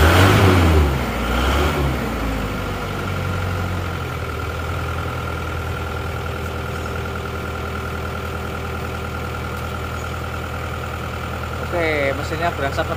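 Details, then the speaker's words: Isuzu Panther from Bangil after running out of radiator coolant, before engine rebuild, cold morning start: loud labored cranking about two seconds, then rough uneven idle with white smoke; damaged piston and scored liner. "putih cara mengatasi starternya agak sulit ya tadi jadi nggak langsung cengreng"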